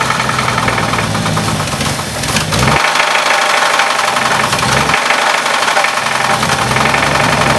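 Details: Heavy, deep knock at low speed that follows engine speed and stands out under load, right after timing was set; rod-bearing knock on the same reused crank despite the UTG donated parts.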